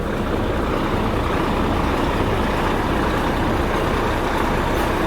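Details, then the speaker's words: Volvo FH13 truck diesel running after the fan viscous clutch hub bearing was replaced and reassembled: even, steady rumble with no grinding, knocking or squeal; sounds healthy. "запускаемся слушаем что у нас изменилась вот так уже лучше уже ничего такого нету"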